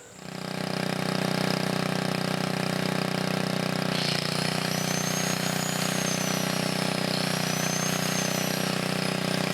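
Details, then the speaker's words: 1980 Montgomery Wards 2200 W generator, Briggs & Stratton 5HP, after NOS block swap and carb rebuild, air breather off; settles to even steady run with a brief dip the governor catches, no smoke: working right. "also you can see the governor kicking in and everything so it's working right now"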